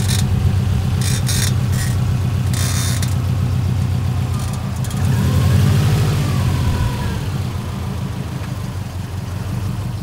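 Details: Subaru WRX with 149K miles, driving, with short high-pitched creaking and screeching in bursts from the front passenger wheel over road rumble; suspected bad wheel bearing.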